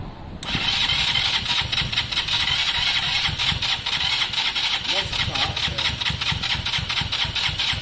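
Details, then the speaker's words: KSR Moto motorcycle after valve adjustment, cranking on a weak battery with starting spray: steady starter cranking with even compression pulses, about four a second, but it never catches. Crank-no-start; cause suspected, not confirmed. "that yeah I can get the car but it sounds exactly as it did though doesn't it"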